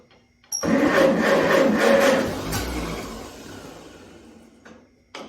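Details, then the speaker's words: 1952 Farmall Super C, unused for about nine years with its fuel drained, started with the choke off. The engine catches and settles into a steady, regular beat of about four pulses a second. It runs okay, though the oil filter gasket is misaligned. "Well, we got it fired off. Sounds like it's running okay."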